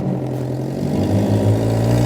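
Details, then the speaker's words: Mitsubishi Pajero Junior automatic at a scrapyard, no battery, running on jump pack, shifted into drive: engine note loads up as drive is taken up, then steady hum; normal drive engagement. "So here we go. I should plonk her into drive. We can hear the drive being taken up."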